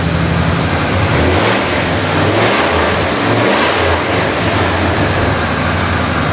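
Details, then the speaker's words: Abandoned 1997 Ford F250 revived for a road trip: steady, loud engine idling around 1500 rpm and not settling down; owner suspects a stuck idle air control valve or a computer relearn. "We're still idling high, much like I suspected. It might just need to learn with the computer, but it's pretty damn high, like 1500."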